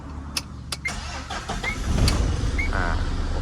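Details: Tata diesel after engine rebuild (wrong 150 head replaced to match the 140, two failed injectors, melted piston, new liners): a few sharp clicks, then it starts quickly and settles into a steady low rumble.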